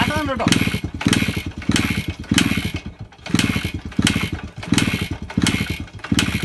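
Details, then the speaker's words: 2001 Suzuki Samurai two-stroke bike, cold start, premix fuel since the oil pump isn't working: crackles into life and settles, throttle blipped in uneven bursts with a crisp ring-ding; normal cold-start running. "നമ്മുടെ Suzuki samurai 2001 model വണ്ടിയാണിത് ഇത് start ആയിട്ടുണ്ട് ഏകദേശം"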